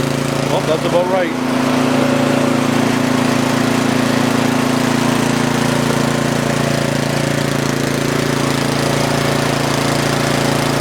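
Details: Yardman (MTD) snowblower with LCT single-cylinder engine, no-start after sitting years, fixed by dumping carb bowl and flushing gas tank, pull-started: steady even chug with no misses or surging, muffler smoking, possibly off spilled fuel; normal running.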